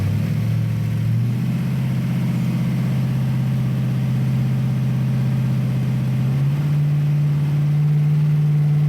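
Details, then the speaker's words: 1966 Ford Bronco 302 with Lunati Voodoo flat-tappet cam, headers and Cherry Bomb Vortex mufflers, flywheel only, after replacing a lifter with a bad metering plate: smooth, even revving exhaust with no tick; engine running right. "all right so uh i hope that sounds as good to you guys as it does to me because uh as you all know we have chased a few gremlins on this engine and but it really sounds good"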